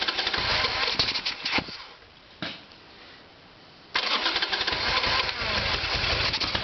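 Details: Harley-Davidson Evolution Sportster, petcock shown flowing fuel: two stretches of steady starter churning with a quiet gap, no firing; crank-no-start, problem found to be the carburetor starving it of fuel.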